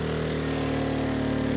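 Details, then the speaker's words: Erayak 4500PD dual-fuel inverter generator on propane, load pushed to about 3,400 W: the drone sags lower as the engine labours and slows, bogging from overload; propane gives about 10% less power than gasoline. "Yeah, the engine's slowing down, so let's turn some of these off. So definitely when running on propane, you don't have as much horsepower as on gasoline."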